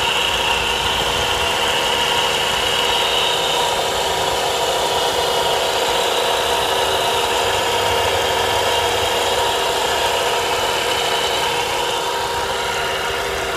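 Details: Volvo V70R engine at idle: constant high whirring hum from the belt drive; noise disappears with serpentine belt removed, so the alternator is suspected, probably a bad bearing; alternator to be replaced. Whirring noise at idle.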